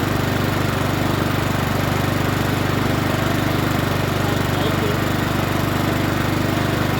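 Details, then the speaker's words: Troy-Bilt TB130 21-inch push mower with Honda GCV160 engine that reportedly wouldn't start: steady, even single-cylinder drone at constant governed speed, no misses or surging. Sounds pretty good. Normal running. "don't sound too bad let's start it up again sounds pretty good"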